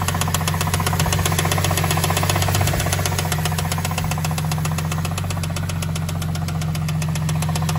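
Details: Cadillac CTS 3.6L V6 idling smoothly: steady, fast, even ticking from the top end; suspected lifter/camshaft valvetrain problem, to be replaced.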